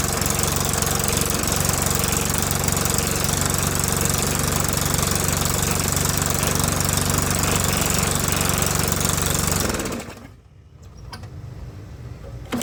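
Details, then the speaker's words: Old lawnmower started by pulling after replacing a spark plug whose bent electrode was touching: harsh rapid popping exhaust at steady idle from a muffler wrecked for 6–12 months; engine itself runs fairly smooth. "Now it sounds like shit, but that's because the muffler is wrecked. The muffler's been wrecked for 6 months or a year. It actually runs pretty smooth if you can tune yourself to listening past the loud muffler."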